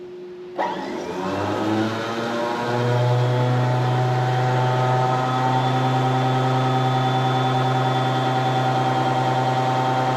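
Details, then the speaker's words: 1970 Johnson Skeehorse snowmobile, two-stroke, started via solenoid button: short starter whir before engaging, then loud, steady, even two-stroke drone; starter slow to engage before firing, delayed starter engagement. "I gotta push the solenoid button so the starter to spin, and the starter spins for a second, and then she finally engages."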